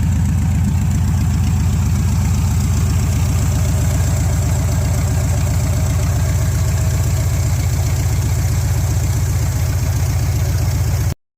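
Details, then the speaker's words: 1971 Chevrolet C10 V8 after tune-up, fresh gas and fuel treatment flushing the carburettor; deep, steady, even idle lope with no knocks, ticks or misses; runs better and healthy. "run a little bit better but doing pretty good pretty happy with it right now"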